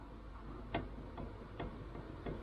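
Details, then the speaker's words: 1979 MG Midget 1500 under overhaul, propshaft rocked by hand from underneath: four sharp dry clicks from the badly worn universal joint cups, which will vibrate badly; the propshaft has to come off. "so basically this cup and this cup something's Gone Big Time wrong in there so that's going to vibrate like anything so I need to take the prop shaft off"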